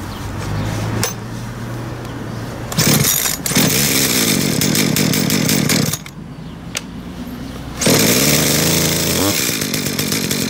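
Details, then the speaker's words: Used Dolmar PS32 chainsaw idling: thin metallic ringing the previous owner thought came from the engine, actually from a worn clutch washer letting the clutch drum chatter. "sie lässt sich starten man kann damit auch sehen aber sie klingelt also das klingeln soll dabei aus dem Motor kommen"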